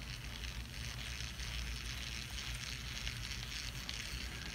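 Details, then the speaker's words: Daiwa Lexa CC 300PWRL-P reel turned by hand: a fine, gritty whirring rasp from the level-wind drive, where the small metal gear meshes poorly with the larger plastic gear and makes a rough, cheap-sounding grinding noise. "this noise comes from the fact that this metal part doesn't fit very well with the plastic part and the two gears they just don't feel smooth and make a noise when they make contact"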